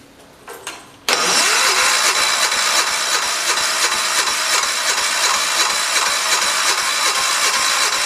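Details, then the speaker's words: Crank no-start after replacing points, coil and condenser on 1973 112 tractor; points set per book, owner first thought it flooded; starter churns evenly about three beats a second but never catches; ignition points out of adjustment. "it may need a little bit of adjusting I don't know let it charge up for a bit"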